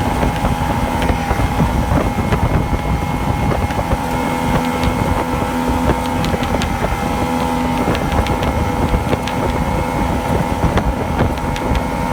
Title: Misfire/surge on Yamaha 2 Stoke